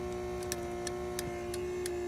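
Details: 1998 C5 Corvette after hazard switch replacement (hazard flasher shares turn signal circuit): crisp, evenly spaced ticks about three a second over a faint hum; four-way flasher clicking normally, rear lights working.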